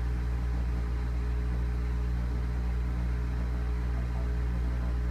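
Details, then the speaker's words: General Electric washing machine on drain and spin cycle: loud deep droning hum with a steady throb about four times a second, vibration felt through the floor; excessive vibration during spin. "I could feel the vibration on the floor. But it's so loud, too."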